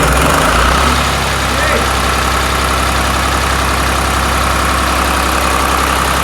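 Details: Restored 1993 Lombardini diesel generator with test lamp connected: loud, even diesel clatter at a steady rate with no misses or knocks; running smoothly and healthy.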